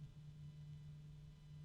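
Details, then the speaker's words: PC case fan ramping up in speed: very quiet steady low hum of about 150 Hz rising in pitch alongside growing ticking; owner suspects a resonance at higher fan speed, unconfirmed. "now I can start to hear a very low hum from the fan going up in Pitch it's it is a hum interesting"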